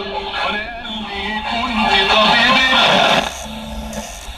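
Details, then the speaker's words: Japanese Fisher radio-cassette after repair, switches cleaned with strong degreaser: music and voice come through clear and steady, the earlier crackle on changing stations gone; clean radio reception. "معدش ف صوت خفاش ولا اي حاجه وصوت نقي"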